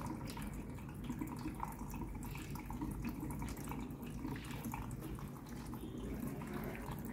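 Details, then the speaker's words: Samsung washer (customer complaint: runs briefly then stops; title error 3C) during repair test: second inlet valve running, steady rush of water into the drum without hammering; normal fill, after which filling stops and the LED keeps blinking. "van cấp nước bên cạnh cũng đã chạy rồi này van cấp nước bên này cũng đã chạy rồi"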